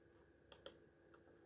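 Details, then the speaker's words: Mouse after soldered replacement of clicking button switch: quiet, crisp single clicks in close pairs, no double-clicking or mushiness; left and right buttons working normally. "right click and normal click so everything works"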